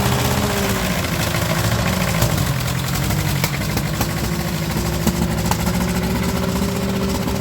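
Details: Ferguson TEA20 with British Standard engine, after valve lash and fixing big exhaust leak, another carburetor tried: uneven lumpy idle with irregular pops and crackles; rough running, broken valve spring, owner suspects it needs a valve job.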